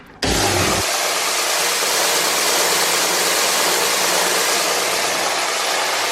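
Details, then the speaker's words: Jet oscillating belt sander about 15 years old: starts with a short thump, then a steady, even loud belt hiss with no knocks or rubbing as the belt oscillates up and down; normal running. "it's actually an oscillating sander so when you turn it on this thing goes up and down I'll show you"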